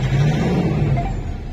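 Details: 2013 Mitsubishi Strada/Triton diesel with crank-no-start (codes U1504, B1707) caused by a faulty immobilizer antenna, which was removed: it now starts and runs with a steady low rumble, no misfire; normal running.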